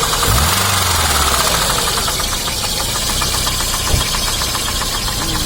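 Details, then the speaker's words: 2006 Daewoo Sens (Lanos base model) on LPG after auto-switch from petrol, engine bay, revving: fast light ticking about four per second following revs; owner unsure (bushing or crankshaft suggested), onlookers suspect a maladjusted valve. "Ну це клапана по-любому, да? Клапан. Да? Один клапан, да?"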